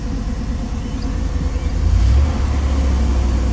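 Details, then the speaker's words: 1990 GMC truck with a freshly swapped 350 small-block, Thrush muffler and Cummins exhaust tip, warming up with good oil pressure and timing set close but unchecked: a deep, steady V8 exhaust rumble rising slightly. It runs evenly and is healthy. "really love how that [ __ ] exhaust sounds"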